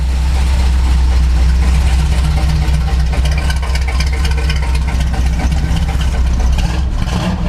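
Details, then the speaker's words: Chevy C10 carbureted V8 after tuning: low, even burble at a steady idle with no stumbles. Idle picked up and sounds better, one side still slightly rich; removing the vacuum advance cured chop at 4000 rpm. "But see, now the idle picked up, sounds a little bit better now."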